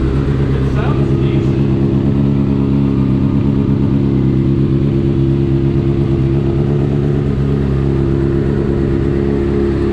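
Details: Salvage 2015 Honda CBR 600RR, 8,831 miles, first start after plugging in tip-over sensor and priming fuel pump; catches and holds busy, even idle with light blips, runs cleanly and healthy.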